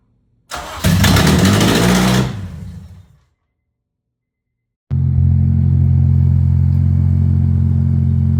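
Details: Honda K24 swapped into a daily-driven EP3 Civic, freshly finished; cranks, catches and revs cleanly, then settles into a smooth, even idle with no misses or knocks. Healthy start and idle.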